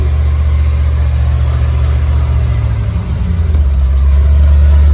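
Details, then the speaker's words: V8 at idle just after a new custom stainless Flowmaster U-fit dual exhaust was fitted, with Hooker Blackheart mufflers and electric cutouts; the phone recording may cut out some of the sound. Deep, even, low rumble and burble with no ticks or knocks; normal idle. "It's a good low rumble."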